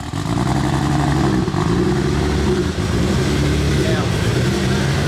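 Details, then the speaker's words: Car on first start after build with many new parts and big 272 cams, checking timing. Loud, uneven lumpy rumble with a lopsided beat; sounds like not all cylinders are firing. "sounds like we might uh not have all the cylinders"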